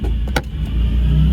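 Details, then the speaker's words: 1986 VW GTI MK2 with VR6 swap, engine dislikes the cold: very slow, deep, uneven lumpy idle with a brief dip, no throttle tension and crazy-low idle speed; sounds like it is missing. "that's no throttle tension and it idles real low I mean like crazy low"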